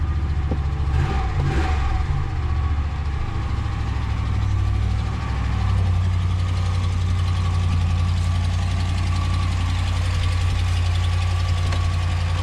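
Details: Ram just bought and shipped in: steady low idle with a loose, uneven knock about three or four times a second; the owner asks what the noise is, cause unknown.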